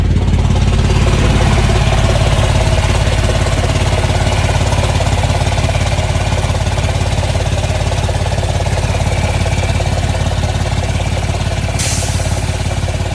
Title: Cascadia exhaust leak